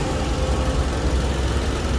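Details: Nissan Almera three-cylinder with check-engine light and shaking: deep, lumpy idle with an uneven stumbling low thump breaking rhythm; injectors tested leak-free and cleaned, misfire traced to a faulty ignition coil.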